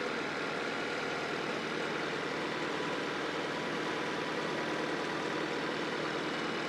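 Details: Honda CR-V (RD1) after replacing a burst small upper HVAC heater hose and refilling with water: even, steady idle hum, no knocks, misses or surging; owner checking for head-gasket bubbling, coolant being drawn in.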